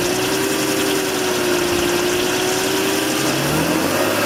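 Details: BMW 530i, engine warm at low rpm: light busy metallic rattle over idle, also heard for a few seconds on warm start-up, absent on cold start; rattle at warm idle, source unclear.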